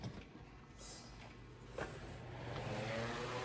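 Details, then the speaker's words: 10-inch Eskimo oscillating fan after rewiring and tune-up, drawing 58 W against a 55 W rating. It gives a steady mains buzz with airflow and no longer makes its former rattle: running normally. "You can see it now oscillates. It's not making that horrible rattling sound. It's just that nice buzzing sound."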